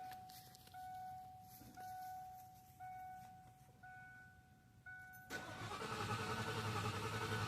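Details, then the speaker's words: 1997 Mustang GT that had been sitting unused, started after a good battery was swapped in (the car's own battery is faulty). A door chime beeps, then a short crank catches cleanly and settles into a steady, even idle. "So it starts. It's been sitting for a while because it hasn't been running."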